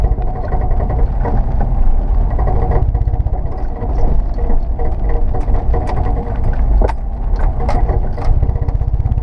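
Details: Mechanical clunking related to rotation that shakes the car, occurring on very steep high-traction climbs taken slowly under high load with front suspension drooped, never in everyday driving or hard acceleration; heavy low engine drone with irregular deep clunks, driveline knock of unknown origin.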